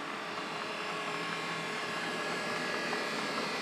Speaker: there is a problem with the motor sounds like and believe me I've um I've taken the motor out I've already stripped this one down discovered that the motor is making this horrible noise